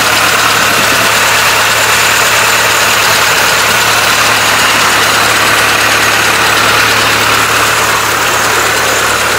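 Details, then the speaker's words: Old carbureted truck in cold weather, just after first start with carburetor primed, exhaust not finished: steady, even idle with a smooth low drone, no misses or knocks; normal idle. "let's see if this truck will start from us and it's cold out here [Applause] not here a couple of Puffs to that old carburetor [Applause] she's alive"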